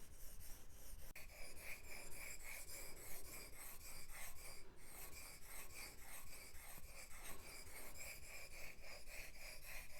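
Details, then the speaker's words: Gouge sharpened on an 8000-grit Japanese water stone with slurry: soft, even rasping strokes about one a second, smooth and fine-textured; normal fine-stone sharpening sound. "this is no good a stone which keeps this stone flat but also creates a slurry which is this in the grinding action we can hear the difference and have fine stone sounds"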